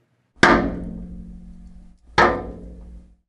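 Two sharp metallic bangs about two seconds apart, each ringing out and fading; that's water hammer from the valve slamming shut.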